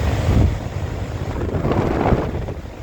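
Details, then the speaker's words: Old Goodman R22 AC condenser, capacitor replaced last summer: condenser fan roars steadily with a low buzz but no compressor hum, no compressor amps; compressor not starting. "My indoor fan is blowing. My outdoor fan is blowing. But I'm not getting any amps on my compressor."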